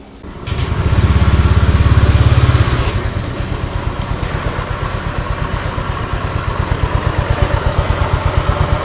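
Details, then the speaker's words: Honda Vario 125 after CVT work with cover reinstalled: short rev then even steady idle, no ticking or knocking; idle tok-tok noise 100% gone after repair. "teman-teman di sini suaranya 100% hilang suara toktok toktoknya sat langsam tuh oke suaranya sudah hilang"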